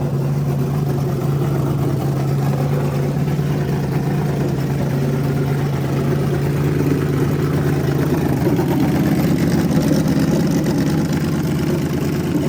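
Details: Freshly rebuilt small block Chevy 350 for an OBS Chevy truck, running on a converted engine stand with headers and hot tap water in the block: a deep, steady rumble at an even pace with no knocks or misses. Normal, healthy running.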